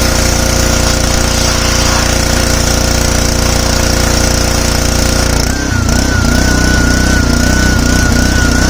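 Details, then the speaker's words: Simpson 3000 PSI pressure washer, Honda GCV engine, long stored outdoors, spraying: runs steadily then stumbles and wavers midway, tending to cut out under load. "And I'm going to clean it up now before working on it. Heat. Heat. All right. So, this thing has that tendency to cut out."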